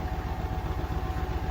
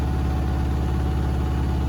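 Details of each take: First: Beko WTK104121A 10kg 1400 rpm washer, Cottons 40° + Fast+, spin: fast steady thumping knock over low drum hum, door clattering as the unbalanced load shakes the machine. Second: Beko WTK104121A 10 kg washing machine, Cottons 40° Fast+ programme, balanced load ramping to 1400 rpm spin: deep, even drum drone with no thumping or wobble; normal.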